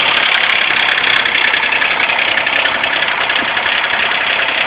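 Cold engine idling rough and uneven, with a stumbling, irregular beat instead of a smooth rhythm; a misfire on cold start. Cause suspected, not confirmed.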